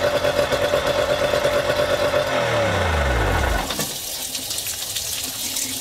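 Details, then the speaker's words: Yamaha outboard run out of the water on a two-sided dual-entry flush muff with water flowing: steady, even idle with a smooth low thrum, then shutdown spinning to a stop with water running; muff worked well; normal idle. "so that one did surprisingly good i say surprisingly reason today this one just wanted to outperform so i'm actually quite impressed with this one"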